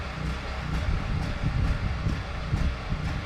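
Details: Duromax generator heard from the property line, grunting as it runs out of gas: low drone pulses and stumbles about twice a second, the uneven hunting of an engine running its carburettor dry.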